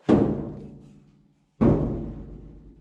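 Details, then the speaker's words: 1973 Datsun 240Z door, stripped of internals, before Kilmat sound deadening mat is applied: two sharp taps ring hollow and echoing for over a second, bare undamped skin sounds tinny; resonant door panel without sound deadening. "You hear it kind of echoing? Sounds kind of tinny."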